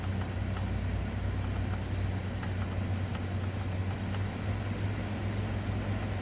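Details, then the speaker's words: 5,000 BTU air conditioner powered by a BLUETTI Elite 100 V2 1,800 W portable power station: a heavy, strained, coarse drone. Owner suspects the station is too small to run it. Air conditioner running rough. "Yeah, it doesn't sound right. I'm going to turn this off. Okay, this one probably is a little too small to run the 5K."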